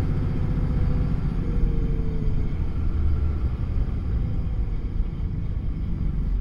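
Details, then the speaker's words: Dodge Ram 3500 driving after Mercedes G56 transmission rebuild with new clutch, following mouse damage: low even road rumble with no gear whine or bearing growl; noise present since nearly new is now gone, gearbox healthy. "things always had a noise in it since it was almost new and I think it's I don't hear it now"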